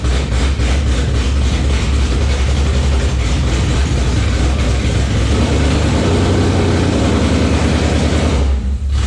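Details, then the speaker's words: Engine's first run since October 2019, coolant warming from 170 toward 194°F: strong, mostly even low idle with small speed changes near the end; settling in normally. "Stalled it out, but she's running. Sounding pretty good. Smoothing out."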